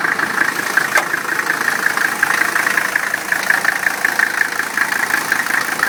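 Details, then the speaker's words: 1985 Mercedes-Benz 300D diesel, 307,000 miles, hood open; steady, even idle with light regular clatter and no knocks or misses, engine runs fine. "Engine runs fine."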